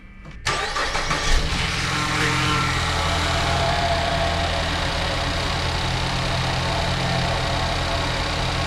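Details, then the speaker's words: 2014 Ford Escape Titanium AWD EcoBoost, no check engine lights, drives fine: cranks and settles to idle with a faint higher-pitched whine for a few seconds. The noise comes and goes and its source is unclear. "I already drove it around the neighborhood. It works perfectly fine other than that noise. So I'm not exactly sure what it is, but I'll show you here in a bit once it goes away and then it kind of comes back."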